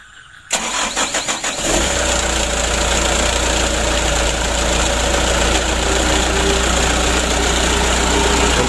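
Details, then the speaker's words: Mitsubishi Canter diesel truck after DIY injection pump plunger replacement, previously hard to start; roadside start with pump not yet calibrated: cranks briefly, catches, settles into a steady, slightly high idle with clattery knock. "mesinnya sudah hidup untuk awan hidupnya seperti ini temannya itu gasnya agak tinggi"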